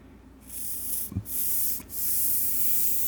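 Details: Carburetor from a 2005 Honda CRF450X that wouldn't start after sitting with fuel: three short bursts of airy hiss with no whistle or sputter as air blows freely through the idle fuel jet after clearing it with wire.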